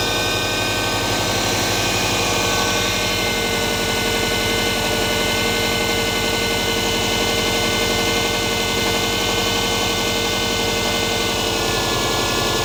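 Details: Subaru EJ20G engine at steady idle: fast sharp tapping in time with the engine, about four a second, pointing to a knock inside the motor.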